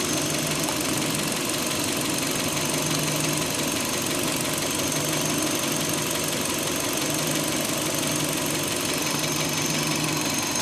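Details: 2005 Hyundai Elantra idling, just after owner tightened the timing belt: steady, busy ticking knock over an even idle, louder than before when it was less prominent; cause still unknown.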